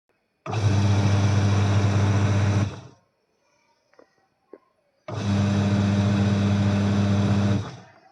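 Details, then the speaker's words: Washing machine after its loose gearbox pulley was tightened using a rubber washer: a smooth, steady motor hum while agitating, with no khad-khad rattle. Normal running. "मैं आपको washing machine चला कर दिखाता हूं कि जो खड़खड़ की आवाज थी वह अब नहीं आ रही।"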